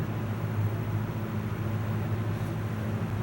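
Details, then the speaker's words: 1995-96 Lasko box fan after thrust washer replacement, cleaning and oiling: smooth, even low hum with soft air rush, no rattle or drag; reaches speed instantly now versus five minutes before, normal running. "see before it taken probably five minutes to come up to speed now it's instant again so we're back in business ready for another fan season"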